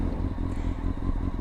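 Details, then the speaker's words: Used motorcycle warmed up: steady, even low idle with a soft regular beat and no knocks or ticks, healthy warm idle. "If you don't hear any knocks, that's good."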